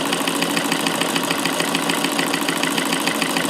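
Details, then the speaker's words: Davis vertical feed sewing machine converted to an electric motor on a dimmer, after bobbin mechanism adjustment: fast, even mechanical chatter with no hit and no dropped stitches; normal running. "how smooth and quiet it is now since I've adjusted the bobbin mechanism so there's no hit and I can speed up before and it's not dropping any stitches it's just sewing"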